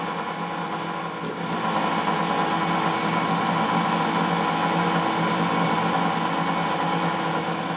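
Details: Boxford lathe motor removed from the lathe for a check-over. Steady, even hum running up smoothly with no knocking, grinding or whine. Normal motor run.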